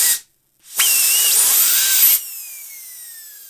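A hand-spun ball bearing whirs with a bright, airy hiss and a clean tone that slowly glides down.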